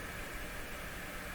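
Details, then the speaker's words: Dominion Electrohome TR50 console stereo receiver on FM, no antenna, volume up; steady even hiss across the whole band with no stations; AM and FM both dead, cause unknown. "appear to be dead. Yet we can hear the FM, what sounds like the FM hiss."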